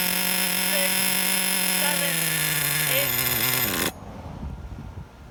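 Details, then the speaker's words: Redcat Earthquake 3.5 nitro monster truck engine, pinch test: high-pitched scream holds then slowly sags for about ten seconds before quitting; low-speed needle extremely rich, to be leaned a quarter turn clockwise. "or 10 seconds that means our low speed needle is extremely rich I'm gonna be making a quarter turn to close it which is going to be to the right clockwise to lean it out"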